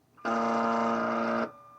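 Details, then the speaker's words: U.S. military AN/UGC-74B communications terminal with dot matrix printer, after swapping in a replacement circuit board: a single steady alarm buzzer tone just over a second, print head not moving; fault unchanged, cause unknown. "No, unfortunately not. Still making the same sound. The print head's not moving."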